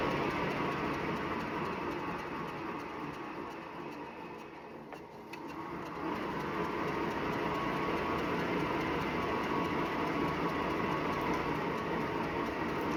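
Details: Wahoo Bike Shift smart bike at 379 km: steady swishing whir with a regular rub about twice a second, in time with every full pedal stroke; belt rubbing suspected, unit returned under warranty.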